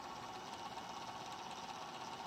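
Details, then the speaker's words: Golden Tee Fore arcade board on the bench, chip cooling fan freed after being badly jammed: faint uneven whirring buzz with fluttery grain, spinning rough, likely dry bearing, but airflow restored over the chip. "she's a little rough but at least we have at least we have airflow over top of this chip now"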